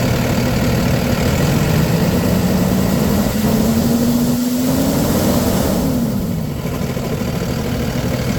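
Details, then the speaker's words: 2012 Freightliner M2 forestry bucket truck, Cummins 6.7L turbo diesel, automatic: a steady, even diesel rumble at idle, its tone drifting slightly, with no stumble or misfire, a normal idle. "No smoking, no misfiring. This truck is on point. No hesitation of that 6.7 liter strong motor you'll hear on the drive-by and drive-on test."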